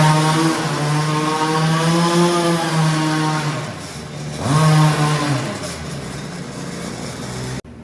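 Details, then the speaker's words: Redcat Rampage XR gas two-stroke rally car on its last break-in heat cycle, warmed up, then given half throttle pulls: buzzy pitch climbs on two clean pulls, holds and drops back smoothly; normal revving of a healthy engine. "this is the last heat cycle, so I'm gonna start it, let it warm up a little bit, and then I'm gonna give it a few half throttle pulls."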